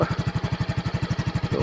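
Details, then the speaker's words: Flood-damaged Yamaha scooter whose air filter sucked in water: after running a while, still cold, the idle is a slow, lumpy, uneven pulse, with a little water still in the carburetor that should dry out. "So mainit na siguro yung karburador nito. Tingnan natin na medyo may tubig pa konti. So antay-antayin natin na matuyo yan."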